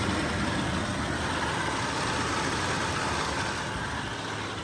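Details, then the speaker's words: 2008 FJ Cruiser idling with a thin, steady high-pitched whine from the idler pulley bearing, typical after deep water or mud gets in. "So a lot of times what people get when they get into deep water or mud or something gets into your idler pulley is you'll get this sound. You'll get this high-pitched whine out of it."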